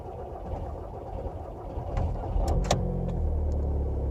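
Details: VW Passat with BMM diesel engine, hard start: starter grinds steadily at about three turns a second through a long crank before the engine catches into a low idle; cause not confirmed.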